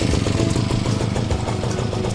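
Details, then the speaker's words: Tanika backpack grass cutter just reassembled: small two-stroke buzzing at a fast, even beat with no misfires or rattles; sounds smooth and healthy. "suaranya halus"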